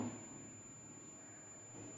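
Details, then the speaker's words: Mobile phone board coil tested with multimeter in buzzer/continuity range: thin steady unbroken high-pitched beep showing continuity, coil intact (no beep would mean open). "तो beep की आवाज आएगी तो ये okay है। अगर बीप की आवाज नहीं आई तो ये समझ लेना आप ओपन हो गई।"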